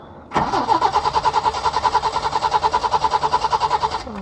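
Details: Peugeot 505 V6 manual, first crank after sitting about 2-3 months: starter spins the engine at a quick, even beat for a few seconds but it never catches; crank no start, owner suspects long storage.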